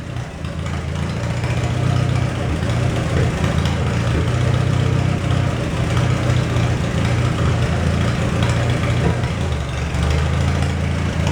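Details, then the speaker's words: 1949 Willys pickup, F134 engine, water pump leaking: steady low idle with even rumble while testing transmission in first and reverse and engaging transfer case, then low range; no clunks or grinding, drivetrain engaging normally. "We're going to check out the transmission and transfer case now. Okay, first gear. Here we go."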